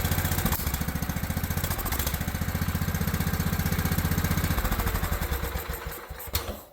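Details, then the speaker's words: Old Craftsman riding mower, small single-cylinder engine, after its carburetor was cleaned with carb cleaner and refitted: lumpy, uneven firing that stumbles, surges, then sags and dies; still running rough, valves checked next, engine oil thin and suspected gas-diluted. "Still not liking something."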